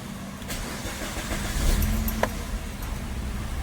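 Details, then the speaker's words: Maruti Swift Dzire VXI petrol after replacing shorted spark plugs that caused misfiring: quick crank catches cleanly, settles to a steady idle without stumble, revs smoothly to 1500 rpm and returns; normal start. "ಈತರ 1500 RPM ಗೆ ಹೋಗಿ return ಬರಬೇಕು ಅವಾಗೆ okay ಇಲ್ನೋಡಿ ಎಷ್ಟು smooth ಆಗಿ rice ಆಗ್ತಿದೆ"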